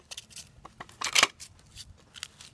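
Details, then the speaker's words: 2005 Chevy Silverado 2500 front driveshaft, removed, u-joint flexed by hand: sharp dry metallic clicks and gritty scrapes from rusted, completely dry caps; truck vibrated in four-wheel drive; dry seized u-joint, driveshaft being replaced. "the u-joint caps are completely dry and it's also making this noise definitely does not sound right"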